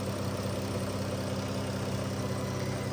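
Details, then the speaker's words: Dodge Caravan petrol engine after fixing cylinder 3 misfire and white smoke (new oxygen sensor, worn spark plugs replaced, MAP sensor cleaned): smooth, steady low idle hum, no stumble or shake, check engine light gone. "Ito na yung finish product ng ginawa natin. Ayan, tahimik na ng makina at wala ng kakalog-kalog."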